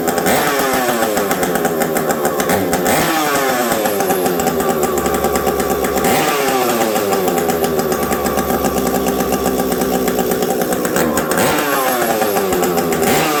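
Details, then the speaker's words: Stock Husqvarna 372XP chainsaw with a UFO muffler, run in very cold weather: screaming revs climb and drop with a brief hesitation on one pull-up. The low jet is set a little low, causing a stumble not caused by the pipe. "my low jet was a little low there you guys could hear that little stumble not not anything to do with pipe"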